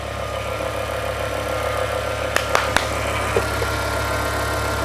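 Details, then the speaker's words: Revived E60 BMW M5 S85 V10 (6-speed), which arrived with a locked engine; it holds a steady, even low idle with no knock or miss and no check engine light; normal idle. "The engine's running smooth now. Okay, let me kill it for a second. Woo-hoo. It runs so smooth."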